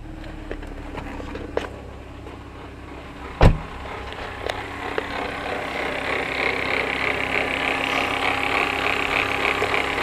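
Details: 2004 BMW E46 325xi, warm idle after a 15-mile drive, noise appeared after thermostat and water pump replacement and persisted after new tensioner and idler pulleys: steady whine with a brighter rising hiss; suspected bad alternator.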